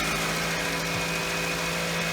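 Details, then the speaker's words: 2007 Pontiac Vibe after the exhaust manifold joint was refitted with a new donut gasket and bolts: steady, quiet idle with an even hum, no ticking or puffing; exhaust sealed and healthy. "Nice and quiet, ladies and gentlemen. Doesn't have any leaks. Good seal."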